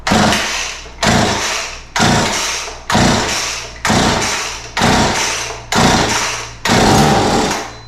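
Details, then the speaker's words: McCulloch MacCat 18 chainsaw, start-on-spray test with carb cleaner, throttle and choke open: eight pulls about a second apart, each catching with a sharp pop then dying; compression and ignition good, fuel delivery fault, carburetor to be pulled. "And so if we hear that, we know that our compression's good and our ignition system's good. And so we have fuel problems to deal with."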